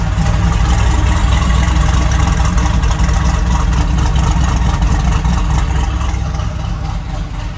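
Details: 1974 Jeep J10 with LS-swapped 4.8 V8 and cam, first run after replacing broken No.7 rod and piston, new head gasket: deep, steady, quiet idle with no rattle or knock (runs with MAP sensor unplugged); normal idle.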